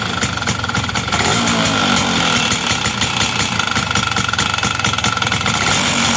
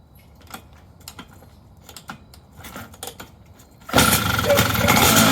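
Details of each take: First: Two-stroke engine's first start after fixing air leaks found by pressure testing: loud raspy buzz with uneven, slightly rough pulses for seven seconds, then shut off; rough running, owner suspects ignition timing is far too advanced. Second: Engine restarted after air-leak pressure test and repair: a few quiet clicks, then it catches and runs strongly and evenly without missing; good first start, though owner guesses ignition timing is way advanced.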